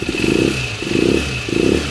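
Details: TMX155 engine revved in short blips after a timing gear replacement: a thin steady high whine rides over the exhaust; the newly bought timing gear is still noisy, to be replaced again later.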